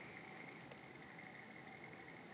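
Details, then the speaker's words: 17-year-old ASUS Eee PC netbook running Debian 12: quiet, steady rushing hiss with a thin high whine, no speed change, noise varying with angle; fan sounds worn, owner suspects a bad bearing. "The other bad thing is the sound. This thing's fan sounds like it's done."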